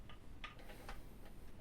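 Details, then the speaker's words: Thermomix TM5/TM6 lid-lock actuator turned by hand with a square screwdriver through the service hole; light, fairly even ticks with no grinding or skipping, actuator is good and moves freely. "Ten siłownik jest dobry. On dobrze chodzi."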